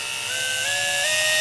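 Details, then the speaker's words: Rebuilt Andis SMC 5-speed grooming clipper with blade fitted, smooth clean motor hum stepping up in pitch as speeds are switched; normal running after rebuild. "Put a blade on it. I like to test with the blade. Sounds beautiful. There it is, it's done."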